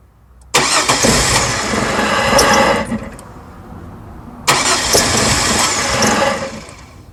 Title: No start